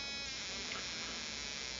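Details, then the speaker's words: RCExl ignition on ignition tester powered by A123 battery through dual-diode voltage reducer at about 5.3–5.4 V, idle setting: fast high even spark buzz, no misses or stutter; ignition sparking cleanly, normal. "Okay so there's a 100000 RPM idle you can hear the spark plug sparking"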